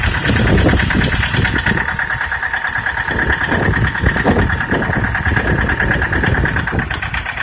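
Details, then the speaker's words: Mitsubishi L200 engine at idle with an irregular rattling knock about three a second; disabling cylinders one at a time to find the source, it knocks on all of them; dealer technician called it a normal starting sound; origin unknown. "Начали отключать цилиндры по одному чтобы определить какой стучит. Стучат все."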